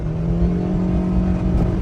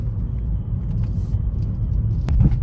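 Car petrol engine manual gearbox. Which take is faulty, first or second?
first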